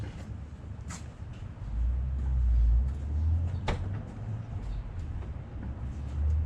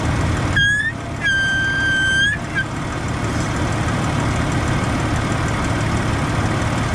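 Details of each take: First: Jeep at idle after replacing brake booster check valve and grommet: low steady idle with a few light clicks and no whistle or hiss when brake pressed; old grommet was leaking air, booster now seals, believed fixed. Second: Jeep at idle, brake pedal pressed: clear high whistle for about two seconds over idle from power brake booster; owner suspects check valve, air leaking past its old grommet.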